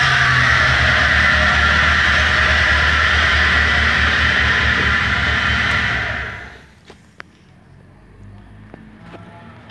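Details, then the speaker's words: 1998 Fiat Palio with a Fiasa engine at idle: a loud, steady high whine rides over the idle for six seconds and stops at shutdown, from the front accessories; suspected alternator versus water pump, identified as the alternator. "Então, viu aí, pessoal? O barulho que tá fazendo é um barulho muito alto."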